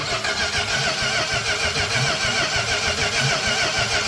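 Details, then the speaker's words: Engine cranking without firing, even starter churn at about three turns a second, while fuel pressure is checked: the pump is delivering good fuel, which can be heard returning to the tank, so fuel delivery sounds normal. "so we're pumping good gas that's not a problem I can hear it going back to the tank"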